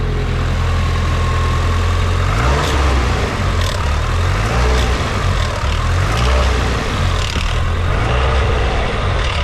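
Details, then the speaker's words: Nissan S15 SR20DET turbo four-cylinder being revved: loose metallic rattle from the VVT sprocket over a deep exhaust drone, known SR20 VVT death rattle; fixed by replacing the VVT unit. "these cars and the engines SR20 they develop VVT rattle so what I'm going to do now is I'm going to start the car and show you guys the Rattle"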